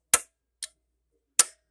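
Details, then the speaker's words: Pioneer SX-1080 receiver switched on during a bench test: three sharp dry clicks within about 1.5 seconds, then quiet; the protection relays must work or the receiver won't come on, and they pull in normally. "those have to work or the radio won't come on"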